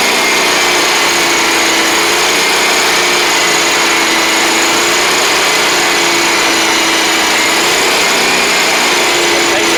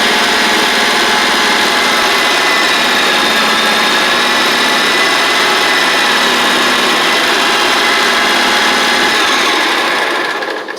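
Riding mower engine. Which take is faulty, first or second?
first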